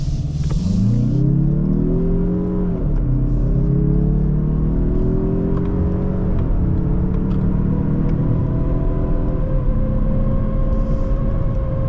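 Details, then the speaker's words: 2024 Mazda CX-30 Turbo Premium AWD, 227 hp, 6-speed automatic, just after a 0-60 run from idle: a thin wasp-like buzzing drone rises and falls with throttle through a slow U-turn; cause unknown. Buzzing noise. "Sounds like a wasp."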